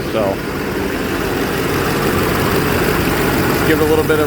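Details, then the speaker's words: Duramax diesel on day two of repair, first start to check for leaks: steady, even diesel idle with no popping or misses; the earlier popping noise is gone, no tail-pipe smoke. "sounds good rolling over it's running i'm just looking for leaks i already can tell that the popping noise is gone seems to be idling pretty smooth no smoke out the tail bite"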